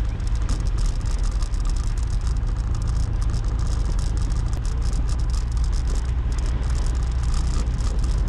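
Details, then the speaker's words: GoPro Hero 7 recording while riding a motorbike: quick sharp ticks over engine and wind rumble, caused by the camera's loose battery door latch chattering. "Nhưng mà nó có một cái điều là anh em sẽ nghe một cái tiếng tạch tạch tạch tạch tạch nó ở trong video. Đó là cái tiếng mà mình và rất nhiều anh em không có thích,"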